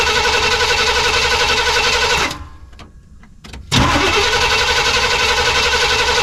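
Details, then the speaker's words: Suburban V8 with a new Evil Energy 600 CFM carburetor, warm. The loud running engine dies to near silence after the carb floods, a couple of clicks follow, then it fires straight back up and settles. Owner plans to lean the choke. "I think I'm about to do a little adjusting on the chuck. Looks like it flooded it."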